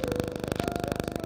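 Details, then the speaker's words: Polytron two-door fridge (top cold, bottom not cooling) after reassembling the fan: steady hum with an even pulse about twenty per second, no rattle or scrape; compressor at the back and fan running normally. "lalu kompresor di belakang sudah terdengar bunyinya artinya kompresornya bekerja dengan maksudnya kompresornya bekerja normal gitu ya"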